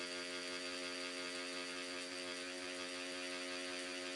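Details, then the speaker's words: Stigma Hyper V3 rotary tattoo machine set for shading at about 9 V, loosened 2–3 turns so it is softer: smooth, steady, even buzz with no stumbling or rattling while it drives the needle; responds immediately, running cleanly. "Et là, elle distribue des points. Et on entend tout de suite, elle réagit."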